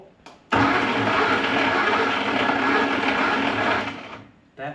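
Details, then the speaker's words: 1961 Mk1 MG Midget roadster sat 54 years, likely original starter: harsh, dry whirring grind for about three seconds with no engine catching, then a puff of smoke; starter dead, armature showing wear. "starter sounds terrible. It let out a little poof of smoke. Oh yeah, it is dead."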